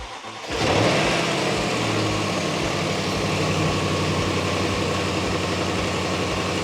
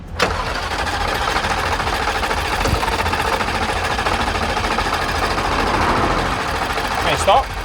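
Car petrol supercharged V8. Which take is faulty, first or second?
second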